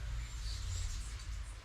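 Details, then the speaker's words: BMW GSA boxer twin with broken plastic throttle-body linkage lever, so the throttle cable opens only one throttle body; deep uneven rumble, rough and stumbling on acceleration, running on one cylinder. "Et effectivement, la moto ne tourne plus qu'un sur un seul cylindre, puisque il n'y a qu'un seul des deux câbles qui actionne, il n'y a qu'un seul des deux boîtiers papillons qui est actionné par le câble d'accélérateur."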